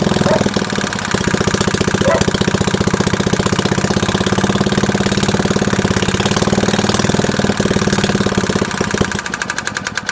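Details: Early-1960s Suffolk 75cc lawnmower engine, worn and old, on its first attempt at starting: an uneven, clattery single-cylinder beat with a loose rattle on every stroke. Running rough; the inlet valve is suspected to be failing.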